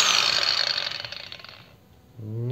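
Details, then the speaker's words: Procraft PW 1100 ES 125 mm angle grinder, speed setting 6, new brush fitted: motor whine rises evenly on start and coasts down smoothly, no harsh jump; soft start working properly, normal. "плавный пуск имеется по звуку вроде бы как присутствует плавный пуск потому что плавно набирает и плавно останавливается"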